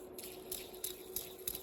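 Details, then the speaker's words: Bosch WFF1401 washing machine drum bearing, removed and hand-spun: dry, gritty rasp pulsing about three times a second; bearing worn and dry with its grease gone, causing noise on spin. "but listen to that it's quite dry inside so all that grease is out"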